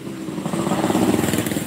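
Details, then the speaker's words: Yamaha RX two-stroke motorcycle: ragged, uneven noisy idle with stumbling, sputtering misfire and wet running; carburetor suspected, not confirmed, and the engine was to be torn down. "nah ini masalahnya Suaranya berisik terus motornya brebet basah udah kelihatan masalahnya"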